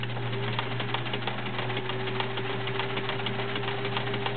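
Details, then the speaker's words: Sears Kenmore model 1774 sewing machine, 1.2 A motor, fully oiled, zigzag stitching: rapid busy clicking and rattling over steady motor hum; internals noisier than expected, cause unknown. "now the internals of this machine are a little noisy don't know why everything's been oiled it's just everything you know something's they're just a little noisy as you can hear when you [Applause] zigzag"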